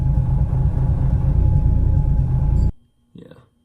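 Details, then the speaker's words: Car with MAF sensor issues, recently fitted replacement MAF meant for another model: low idle lurching, RPM dropping nearly to zero then recovering, then stalls; running really rough; owner suspects the new MAF, head gasket feared. "you can like literally watch the RPM gauge almost drop down to zero and then go back up for just a second it's very weird the cars running really rough"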